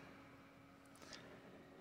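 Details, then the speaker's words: MSI laptop CPU fan after repair of an off-balance, whirring fan, running on mains power: a quiet, steady, even whir with a low hum and soft airy hiss, no ticking or rubbing; normal. "Okay, now this is all assembled. Let's turn it on first and see how it sounds. Okay, let's find the power cable because the battery is discharged. The computer starts up."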